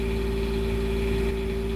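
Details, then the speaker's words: Onan Quiet Diesel 7500 HDKAJ generator in a 2001 Coachmen 380 MBS RV freshly serviced and primed, warming up before an oil recheck: smooth constant drone, steady hum, no misses or hunting; healthy normal idle. "seem to have picked right up there. All right, we're gonna let this thing warm up and then we'll check the oil again."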